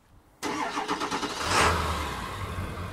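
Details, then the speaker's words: 2003 Ford Excursion Limited with the 7.3 diesel, heard from the rear: short crank, catches within about a second, then settles into a steady, even diesel clatter with no smoke. Normal cold start and idle. "you know it sounds like a 7.3 diesel doesn't blow smoke or anything"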